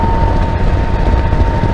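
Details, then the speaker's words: 2021 Can-Am Spyder F3T with 169 miles, riding on the highway: loud steady drive hum appears at 49 mph, louder at 50, gone at 51, over wind and road roar; drive belt found misaligned against the pulley's outer edge. "I'm on the highway and I noticed at at 49 miles an hour its start to make a loud I want to call it a hum noise and at 50 it gets louder and 51 it goes away"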